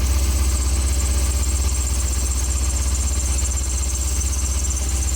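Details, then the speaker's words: Car engine idling with a faint thin high squeal that changes when the belt is sprayed and stops when the inside of the ribs is sprayed. This isolates the noise to that serpentine drive belt. "so you can see when i sprayed the belt in question for a second it changed noise and i sprayed the inside of the rib and it stopped that tells me it is a belt and it is this belt"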